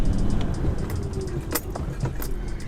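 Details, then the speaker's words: 1989-1994 Lexus LS400 driving under braking after front strut rod bushing replacement: low road and cabin rumble with light brake-pedal plunger clicks, but no front-end clunk. "okay so originally I thought the noise when I first started hearing it was just the sound of the brake pedal operating and pushing that plunger you know kind of that sound but um it's very obviously different but you can still hear that um but no clunking"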